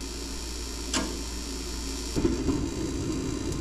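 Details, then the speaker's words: Mr. Heater Big Maxx 50,000 BTU garage heater, about a year old, before repair: quiet steady flue inducer hum, then soft whoosh as burner lights, no fan rattle or squeal; normal draft inducer and ignition. "the blower for the flu is on right now and that's nice and quiet pretty pretty soon the flame will kick"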